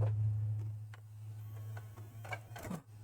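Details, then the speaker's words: Xbox One S optical drive after repair of the disc mechanism, which had been noisy and refused discs: steady low motor hum with soft clicks as the disc spins up and reads; the drive loads normally. "And I can hear it trying to read the disc. So we'll wait for that to boot up."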